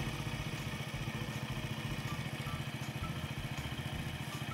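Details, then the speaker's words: Splendor bike engine just reassembled after engine work, timing set by mechanic; even thumping idle at about three to four beats a second, no misses; normal healthy idle after repair. "मिस्त्री आवाज मध्ये timing झालं."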